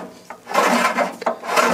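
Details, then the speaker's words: 1969 VW Beetle engine turned by hand: slow dry rasping scrape each turn as the squirrel-cage cooling fan behind the generator rubs the shroud, which caused a high whine on a test drive; the fix is loosening the generator bolts to realign it. "That's the squirrel cage blower on the other side of the generator here, rubbing against the backside of the shroud."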